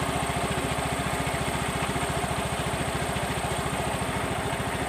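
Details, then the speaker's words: Yamaha Mio M3 125 scooter idling smooth and even after CVT reassembly, no clatter; earlier rattle came from missing CVT grease. "Oke. Oke. Halus ya bunyinya"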